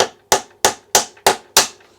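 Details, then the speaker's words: Trek Rail main pivot bearing being gently tapped into its housing: six light taps about three per second, each a sharp solid knock dying quickly with no hollow ring, showing the bearing fully seated. "Okay, so that's in there just nicely now, and I can feel that it's actually gone in the housing all the way back, because I can feel it's kind of a solid knock now. Not it's, you know, it's not hollow. The sound's not hollow."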